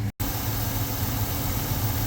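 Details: 2000 Ford Ranger 4.0L V6 4x4 after water pump replacement for a leak: steady, even low idle with no knocks, misses or squeals; runs smooth and healthy.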